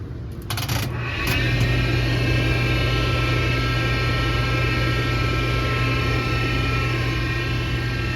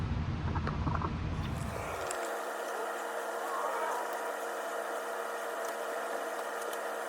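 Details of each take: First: Splendide stackable dryer, out of warranty: steady high multi-tone whine holding about ten seconds then cutting out, never heard before; owner first suspected bearings, but the drive motor was broken and replaced. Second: Splendide stackable dryer after replacing the broken motor and refitting the belt: after handling noise, a steady, even hum with no knocks or scraping, running smoothly.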